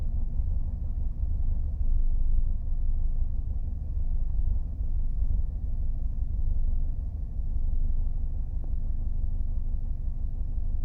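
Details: 2002 Mercedes W210 220 CDI diesel idling: deep rumble wavering unevenly; intermittent rough idle, almost always from cold, sometimes fine warm; smooth through revs, no smoke, injectors clean, unchanged with MAF disconnected; cause unknown.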